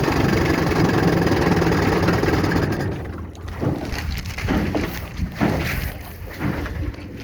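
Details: 1960 Scott-McCulloch 12hp outboard with a 14.1hp McCulloch powerhead, bronze Michigan Wheel prop, 24:1 full-synthetic mix, cruising on the lake: steady low two-stroke drone fading under wind and water noise, no misfire or knock; normal running at speed.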